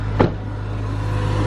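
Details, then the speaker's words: Acura RSX (DC5) first start after starter replacement, which fixed its three-week no-start; brief start-up surge then steady low hum, smooth even idle with no knocks or ticks. "oh yes yes it's been three weeks it's been three freaking weeks so the starter was the issue which is good"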